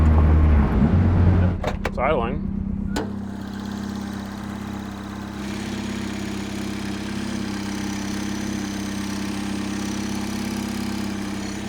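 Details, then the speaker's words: High-compression turbo Mazda Miata after a head gasket rebuild, holding temperature, no coolant lost to the overflow: steady, even idle with a low hum and no knocks or misses; normal idle. "I'm kind of paranoid that every time I crank it over, it's suddenly going to have no compression on two cylinders. But so far so good."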